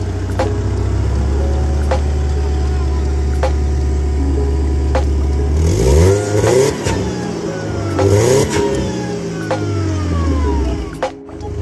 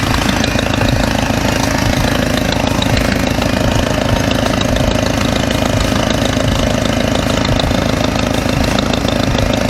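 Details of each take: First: Mercedes W202 supercharged engine, first start after installing new stainless steel headers: it fires and settles into a steady, deep idle, then revs up cleanly and smoothly. Sounds healthy, much better than before. Normal start and idle. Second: Mercedes W202 idling after a stainless steel header install: a fast, sharp puffing tick of about three per second over the engine hum, sounding like an exhaust leak; owner suspects a cracked header gasket.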